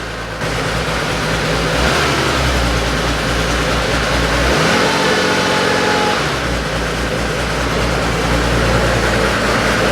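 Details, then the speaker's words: Porsche 911 flat-six after a valve clearance adjustment (number six cylinder found loose), new gaskets, filter and 10 litres of oil: steady, even idle with a brief rev blip and no valvetrain tapping; the earlier knocking noise is gone. "so let's um drop it down start it up and fingers crossed that knocking noise is gone much better"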